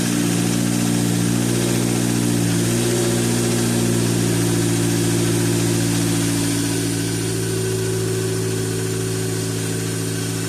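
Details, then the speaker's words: 2013 Dodge Dart 1.4L MultiAir turbo, 185,000 km, first start after timing belt replacement: steady, even idle with a slight rise in revs and clean regular firing, no ticking or slapping; the engine runs healthy. "That sounds pretty good. All right, I think we got it."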